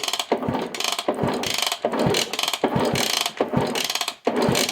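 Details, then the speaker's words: 1963 Honda Sport 50 CA110 motorcycle, exhaust loosely hanging: repeated kicks spin the engine with clattering ratchet and a firm puff each stroke out the exhaust; good spark and compression, not firing yet. "Uh we got spark. We got compression. I can hear it coming out of the exhaust, which this is just kind of dangling here by a thread."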